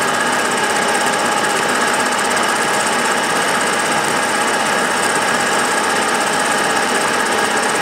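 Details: Milling a V-block from old forklift tine steel with carbide cutter and coolant, about 1 mm cuts: harsh rapid buzzing chatter that grows louder as cuts deepen, as runout in a cheap Chinese arbor lets only a few teeth bite.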